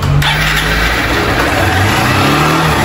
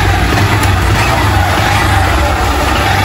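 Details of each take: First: Honda Fan 160 motorcycle engine: revs hang high instead of dropping back to idle because the throttle cable is sticking and needs replacing. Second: Honda Fan 160 motorcycle on first start after an engine rebuild for an engine noise, having had a badly worn piston and the connecting rod checked: a steady low single-cylinder putter with an even beat and no knock or rattle; normal, like-new idle.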